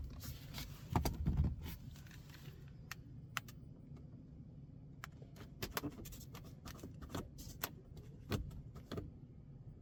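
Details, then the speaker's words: 2023 BMW i5 eDrive40 electric car while driving: quiet cabin over a low road hum with sharp irregular creaks and ticks from the moving roof trim element; interior trim creak. "OK, but we can only hear it on the roof creaking And this element moves And I don't know why but it's unfortunate"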